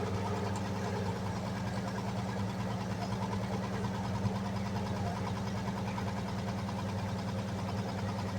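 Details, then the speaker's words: 1946 Chevy 3/4-ton truck, parked since the early 1970s and not started in over a decade, running with a steady, even low hum. It seems to build compression, with no leaks: normal running. "Well, that's not a bad go. It definitely sounds like it built some compression at least."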